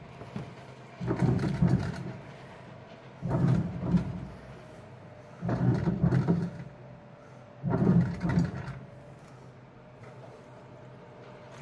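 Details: Samsung 7.5 kg automatic washing machine after its power supply board (burnt IC, no power) was replaced, first test run: even low whirring bursts about every two seconds with quiet gaps between, normal agitation.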